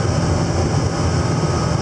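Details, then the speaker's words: 8530 tractor driving a baler on the first bale of the year, after transmission calibration: steady low drone with the baler turning evenly, no knocks, squeals or grinding; normal baler operation. "we're good it's a good first start good go on the first start for the year"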